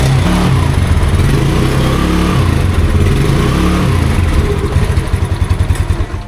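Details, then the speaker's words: 2014 Yamaha Mio Sporty scooter, 12 years old, just after oil change (drain bolt refitted); low steady even thrum with no knocks or rattles, easing off at end; smooth normal idle. "Yung naririnig nyo, ito yun eh. Yung fender. O, diba? Tahimik na. Smooth."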